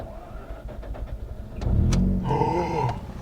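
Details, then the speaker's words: Mazda RX8 rotary, newly revived, hot started straight after its first drive. Brief cranking, then catches and settles into a steady buzzy idle with no hesitation; normal hot start. "It's alive! It's hot started. Man, it just goes to show. I love that noise."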